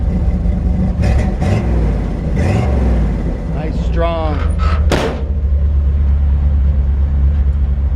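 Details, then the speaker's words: 1941 Chevrolet truck on a drive, shifting up through the gears: deep, throaty engine rumble with crisp shifts and even firing; a healthy, strong engine. "just to show you it shifts through the gears and everything and man what a really cool truck 1941 Chevrolet let's listen to this engine"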